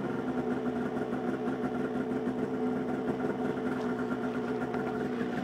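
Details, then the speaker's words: 2003 Polaris RMK 700 snowmobile with SLP muffler-less exhaust fitted: even, steady two-stroke idle with clean buzzing note, no popping or leak hiss; sounds better, not much louder. "Sounds better. It's not even that much louder, really."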